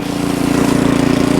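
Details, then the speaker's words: Ariens Deluxe 28 snowblower, LCT 254cc engine, after carburetor cleaning and ethanol-free fuel, choke off: steady even beat, no surging or stumbling; normal running. "Nice and smooth too. Let's put a load on it, shall we? Not even slowing down."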